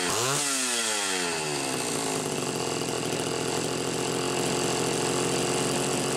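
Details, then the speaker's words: Homelite Super XL Automatic chainsaw, reported smelling hot, on ethanol-free TruFuel, almost warmed up: fires and revs up quickly, then holds steady crisp high buzz, no stumble or lag; runs clean, smell attributed to the mix. "it's definitely almost almost warmed up I would say you'd have no problem cutting right now"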